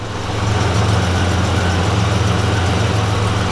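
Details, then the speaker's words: 1987 Buick Grand National V6 after new fuel injectors, fuel pressure regulator and ECM chip, warm after sitting 1.5 years: low even idle with audible injector clicking and a rushing electric cooling fan, now starting earlier; running nice and smooth. "running nice and smooth. Fogging up the camera lens. We're running nice and smooth."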